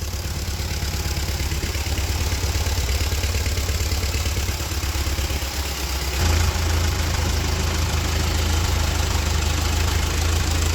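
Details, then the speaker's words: Free Ford tractor left rained in for years, first run after reviving: low, uneven, lumpy chug about three beats a second that picks up partway, likely needs carb tuning. The belt is shedding pieces, water drips from the exhaust, and it shows no oil pressure on two gauges. "losing pieces of our belt pretty fast sounds like you could use some carb tuning"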